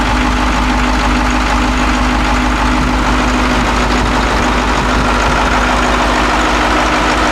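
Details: Caterpillar 225 BLC excavator diesel after head reinstalled with new bolts, valves adjusted, new ignition switch and coolant refilled for a water leak: loud, even idle with a steady low rumble and no stumble; running normally.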